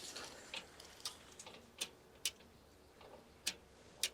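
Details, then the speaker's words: Vermeer Flextrac 75 tracked machine, about 20 years old with a John Deere 3179 engine, stuck in the ground: at key-on with the engine not running, sharp light ticks come about every half second as the electric pump primes, as normal. "see if you can hear the pump switching on"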